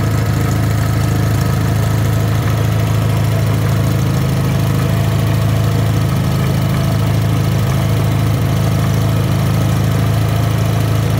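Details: Rebuilt Wisconsin THD air-cooled twin on a bench, 20-over pistons, bored, a little loose, with a flush head said to make it quieter: steady, even low thump, no clatter or knock; healthy and smooth.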